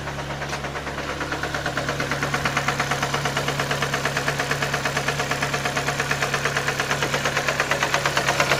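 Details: Skoda Fabia 1.4 AZE engine at idle after oil pump gear came loose and cam sprocket slipped: sharp even mechanical knock about three per second; owner suspects pistons or bent valves.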